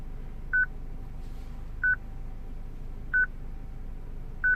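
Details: 2006 Citroen C3 petrol, replacement radio from another car not coded to this car's VIN, radio otherwise working: short mid-pitched beep about every 1.3 seconds over a quiet hum, radio security lock; fixed by programming the radio.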